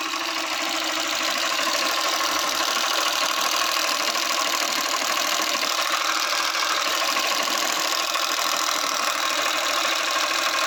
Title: Tappet noise problem again in Honda unicorn 160 #honda #india